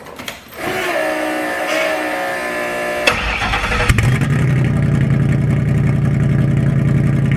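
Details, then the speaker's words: V8: starter catch, then a harsh booming unmuffled rumble, very loud; packing pulled out of one exhaust muffler, owner unsure if it affects running, causing the loud exhaust. "okay so also that what's going on with it is one of the exhaust the packing was pulled out the other side it was it so I didn't know if that would have a problem with it"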